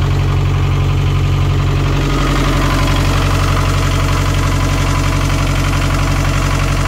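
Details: Narrowboat Laura's BMC 1.5 diesel after refitting its worn injection pump: steady, even idle with a regular low thump of about four beats a second and no knocks or misses; normal, healthy diesel idle.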